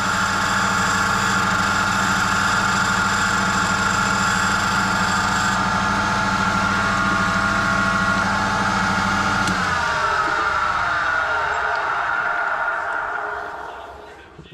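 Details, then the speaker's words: Valve number 2 from an apparently reconditioned cylinder head being refaced, with what looks like a bit of wobble: a steady grinding whir with a regular judder about four times a second, then it spins down. Valve runout during refacing. "Oh, straight away, yeah, you can hear it. It's not very good at all, that. Yeah, that valve's exactly the same."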